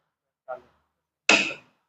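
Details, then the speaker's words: Motor starter contactor wired with push buttons, pump motor switched on: soft button click then a sharp metallic clack as the contactor snaps closed, normal pull-in. "खटखट की आवाज आ रही है कि नहीं आ रही है, ठीक है, फिर यहां से दबा देंगे, क्या बंद हो जाएगा।"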